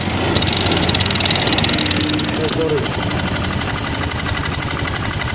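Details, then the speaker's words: Honda Beat FI (K44) scooter with a coarse sound under throttle: rough, irregular metallic knocking that rises with the revs. Flywheel magnet checked and seems fine; owner suspects the connecting rod. Metallic knock under throttle. "Kalau menurut saya ini seperti suara stang karena udah saya cek bagian magnet kipas seperti aman guys karena ini suaranya seiring dengan gas jadi ketukan besi ketukan plat gitu"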